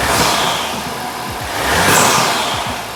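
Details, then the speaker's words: 2023 Audi A4 TFSI 35 after an engine swap, started with the intake and charge pipes sealed: revs with a breathy whistle over the intake rush. Boost leak or dump valve was suspected, but the whistle comes from the airbox. "Um there is a noise that's not not what I was expecting. Yeah, it it sounds to me like there's a boost leak or something, but um I'm really not sure or or it sounds it sounds like there's an induction kit or a dump valve or something on it"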